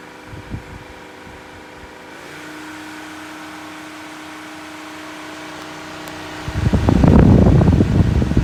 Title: Weird Noise from Ryobi One+ 18V Cordless Hybrid Fan (Whisper?) | Honest Demo Review